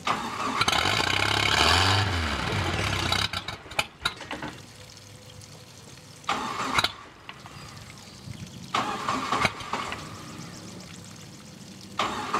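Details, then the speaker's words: 1986 Four Winns 170 Horizon with 3.0L MerCruiser, carbureted, first start after winter storage: brief cranking to fill the carburetor, catches, then settles to a quiet steady idle without misses or knocks; normal idle after start. "started up pretty good. I mean, it took a little bit of cranking probably to get the holes filled up in the carburetor. But it's running good."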